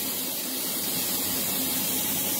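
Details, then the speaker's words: Apartment air conditioner after maintenance turned it off: steady, even hiss with no rhythm, strongest up high; something is bleeding, cause unknown. "something is bleeding and it's audible you can hear the hissing"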